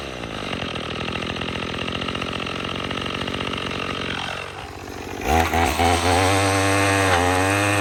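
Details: Troy-Bilt TB22EC two-stroke string trimmer, after replacing an old primer bulb to fix a no-start from sitting: even buzz at steady speed, snapping up cleanly to high even revs under trimming load.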